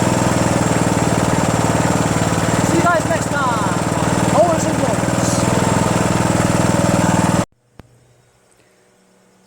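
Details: Homelite 2700 psi power washer small engine, just blown out and tested: fires and holds a steady, even beat for several seconds with no misses or knocks, then shuts off cleanly; runs healthy.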